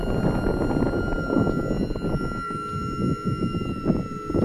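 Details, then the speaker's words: Cessna Citation 500 series jet power brake system, master switch on: steady high whine holding one pitch over rumble as the hydraulic pump charges the brake accumulator, then shuts off at pressure; normal operation. "we see the accumulator charging up down here that whining sound is the pump running charging it up"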